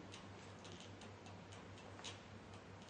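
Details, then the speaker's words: Ballast-compatible LED tube in a fluorescent ballast fixture with a loose socket: steady electrical buzz with irregular sharp snaps and crackles, external arcing at the loose lamp pin connection, producing smoke and a potential fire hazard. "Anytime you have a loose connection in a ballast fixture, you will run into a situation like this. That's called external arcing."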